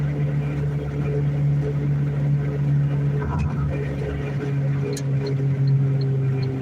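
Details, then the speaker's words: Vehicle coasting in neutral while driving: a steady low drone holds evenly with no engine pull behind it; the owner says the noise is a worn wheel bearing, not confirmed. "I'm in neutral now. All that noise you hear is the wheel bearing."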